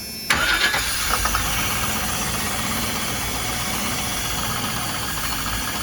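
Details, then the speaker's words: 1999 Chevrolet P30 5.7L CSFI that cranks but won't start: sprayed with starting fluid every two seconds, it catches with a sharp flare and then idles; fuel pressure reads zero, so a no-start from lack of fuel pressure. "Has no fuel pressure. So there you go. You saw what happened."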